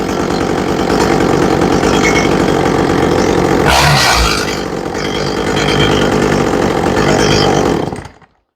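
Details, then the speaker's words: Echo CS400 chainsaw after carburetor high-side tuning, before chain adjustment: steady high-revving buzz holding even speed without surging or bogging, a dip and recovery midway, then shut off; normal running. "okay I like the way that sounds"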